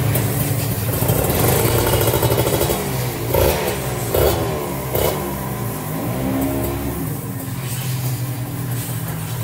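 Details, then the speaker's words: Kawasaki Ninja RR 150 two-stroke before routine service: crisp revs climb and drop cleanly with even firing and no knocks or rattles; engine sounds healthy, no engine teardown needed. "Wah ini mah motornya suaranya renyah banget ya guys ya Jadi udah Ped banget dah suara permesinannya aman ya guys ya Jadi tidak perlu kita lakukan turun mesin nih Besti"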